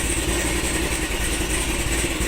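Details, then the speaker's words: V8 with newly fitted ProCharger supercharger, first start with new tune, recorded from the engine bay, running rich: deep, even rumble at idle with no stumble, miss or knock; idling smoothly. "This is running. Man, this sounds amazing."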